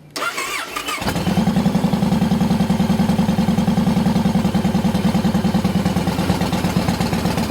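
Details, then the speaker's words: 2007 Yamaha Roadliner V-twin after fixing cracked fuel pump housing: starter whirr, engine fires right up and settles into an even, steady lumpy idle around three beats a second; runs clean. "Fire it up. With the fixed fuel pump. There she goes. Fired right up."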